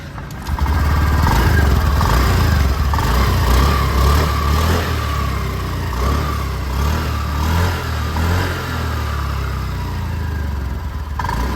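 Steady low engine hum with a fairly even beat and no knocks or rattles; a healthy small scooter engine ticking over.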